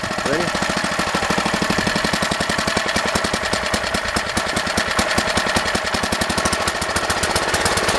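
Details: Old rototiller, guessed late-1960s to 1970s, Briggs & Stratton single-cylinder engine, running at high throttle: fast, slightly uneven popping. The carburetor needs pinning and adjustment.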